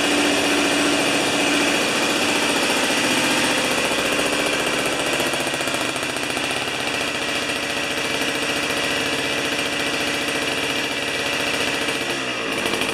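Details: Old two-stroke snow thrower that sat outside about two-plus years, now on 40:1 mix after starting with the choke. Crisp, steady buzz at an even speed with no misses or knocks, then dropping away as it shuts off; runs healthy.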